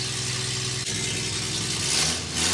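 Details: Toyota FJ40 Land Cruiser, first start after Holley Sniper fuel injection install, still needs tuning: engine settles into a steady idle with a hissy top end and a slight rise; normal idle.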